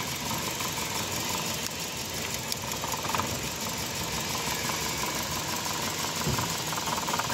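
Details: Car engine with no pickup and a missing complaint, before coil and injector checks and overhaul: runs rough and uneven, beat stumbling rather than steady, struggling as it is revved; misfire.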